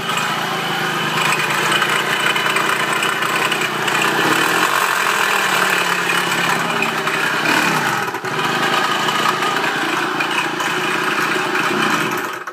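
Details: Kawasaki KE100 two-stroke, unknown history, idling unevenly with a light high chirp as if something isn't lubricated; dies when given gas but revs if opened slowly; oil pump and carb at factory spec; owner suspects spark too advanced, unconfirmed.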